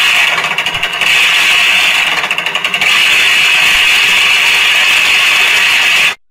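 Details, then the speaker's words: Toshiba AW-A750ST washing machine on a spin-dry test: the motor turns but the tub doesn't, with a loud rapid ratcheting clack from a stripped plastic clutch gear set. "ถังถังจะไม่หมุนนะครับมีเสียงดังแกรกนะครับขั้นตอนปกติทุกอย่างแต่ถังไม่หมุนแล้วก็มีเสียงดังแกรก"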